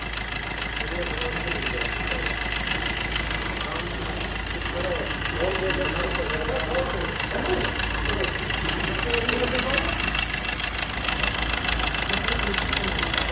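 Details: Suzuki Swift diesel at idle: sharp, fairly even tapping about twice a second over the diesel clatter; engine knock at idle, cause unknown.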